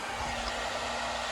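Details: Steady airy whir with a constant faint tone and no knocks or rubbing from a small cooling fan, apparently on the DT FD200 discharger, running normally.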